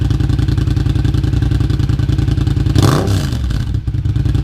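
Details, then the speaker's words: 2015 Yamaha FZ-07 just fitted with an M4 exhaust with the dB killer in: a loud, lumpy twin idle with an even beat and a quick clean rev blip. There are no exhaust leaks or rattles, so it runs healthy. "I'm going to try to get a decent exhaust clip, but I'm pretty sure this thing is almost as loud as my dad's Ultra Classic."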